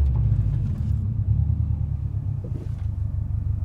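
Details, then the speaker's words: Turbocharged car on test drive in first gear after adjusting GO FAST BITS dual port blow-off valve, building boost then stopping: low steady rumble dropping evenly to idle with no stutter or stalling; smooth, adjustment pretty close. "And everything's smooth, so we're pretty close actually."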